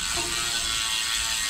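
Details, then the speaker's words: Road/MTB bike after new Shimano pads and re-centred caliper: wheel spun gives fast even freehub ratchet clicking with no rotor rub. Brakes running clear. "there's no rubbing there at all. You probably can't hear it over the hub, but there's not."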